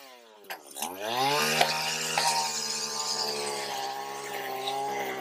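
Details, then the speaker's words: Stihl FS80R trimmer after carb rebuild and coil fix: pulls to a clean rising whine settling into a steady high-speed note, slightly rich burble; runs healthy, called a win. "I think we'll call that one a win I'm running a little bit Rich I'm happy with that"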